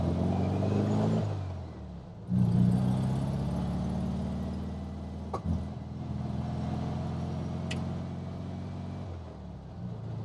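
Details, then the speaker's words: 1967 VW Beetle flat-four after swapped intake manifold, carburetor, distributor (009 without vacuum advance replaced) and valve adjustment, warmed up on drive: picks up cleanly, steady buzzy exhaust beat, no stumble or hesitation; still lacks a little power. "It's not even, no stumble, no nothing. I think I'm going to take it out for a spin. Well, it seems to be running good."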